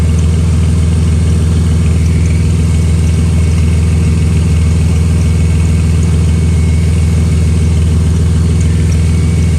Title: Exhaust leak